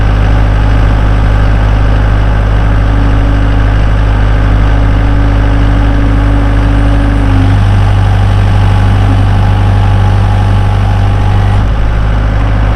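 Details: 2012 Bobcat S185 diesel skid steer, 4-cylinder turbo, 6693 hours, starts and runs smoothly: deep, even diesel rumble holding steady at idle with no knocks or misses; normal healthy idle.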